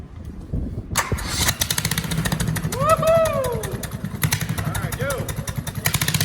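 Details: 20HP Kohler lawn-tractor engine in a minibike, revived after 15 years of sitting, with the original exhaust cut even shorter; on a cold start it catches within a second and settles into a rowdy, crisp, even idle; normal cold start and idle.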